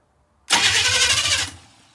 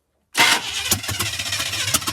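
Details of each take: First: 1985 Chevy K10 parts truck being revived, cranking with spark unknown. About a second of fast, even starter cranking that doesn't catch before dying away; the starter turns it over strongly. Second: 1985 Chevy K10 parts truck, fuel added, spark unchecked, a few squirts of fuel given: steady starter cranking at about three even compression beats a second, never catching; cranks but won't start, owner then adjusts timing.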